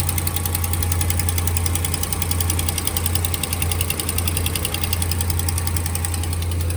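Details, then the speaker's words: 2015 RAM 1500 5.7 Hemi V8 on cold start: quick, light lifter-like ticking over a steady idle that goes away when warm; exhaust manifold leak from broken header bolts. "he exhaust leak it's like a ticking noise it sounds like uh lifters ticking sort of um only on a cold startup though that's how you know um that it's not the lifters because it goes away"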